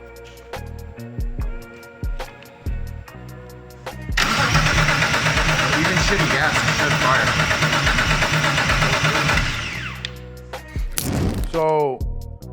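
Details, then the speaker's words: BMW E30 with turbo S52 engine, running E85 with some bad gas mixed in; steady rhythmic cranking that never fires. Spark present but weak; suspected weak spark with poor fuel, later a suspected bad ECU-to-engine-harness connection. "I mean we have spark is not the strongest spark it's pretty weak maybe that with the mixture of that shitty ass gas"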